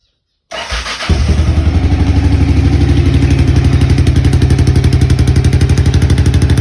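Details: Honda XBR500 on its worn original mufflers, before replacement: fires at once into a hard, loud, popping thump around 240 a minute; worn mufflers too loud.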